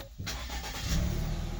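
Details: American Ford Escape that had suddenly stopped starting, with ECU relay clicking and blown ECU fuse, after repair: short crank, then the engine catches quickly and settles into an even idle; clean, healthy start.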